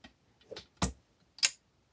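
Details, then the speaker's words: Hydrolevel VXT-120 automatic steam boiler water feeder, bench-tested on a power strip; one solenoid terminal disconnected, feed button pressed: sharp relay clicks with no hum behind them, as expected with the solenoid disconnected. "All right, so we should hear a click, but no hum."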